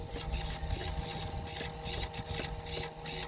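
Short buzzing whirrs come in bursts as the servo sweeps and recentres, each stroke clean with no grinding or chatter; servo working properly.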